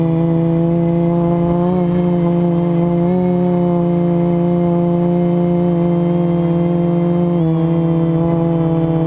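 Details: FPV quad flown with a bad motor bearing, before it was oiled and replaced with a spare; strong steady motor whine with a rough buzzy edge, pitch stepping with throttle; quad twisted on full throttle; worn motor bearing.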